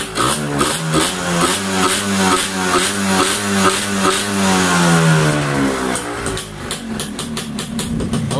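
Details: Yamaha Y100 two-stroke after fitting a new Uma Racing coil and plug and servicing the silencer: a crisp buzz climbs and settles smoothly through several blips with no stumble or miss, running cleanly.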